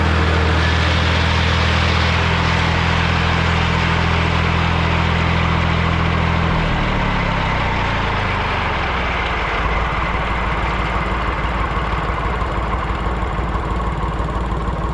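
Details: Morra F25-6 disc mower on a tractor, test run after repair (it had a pod bearing failure the year before and is down again). The mower spins up and settles into a smooth, steady whir with no clatter or metal striking; running normally.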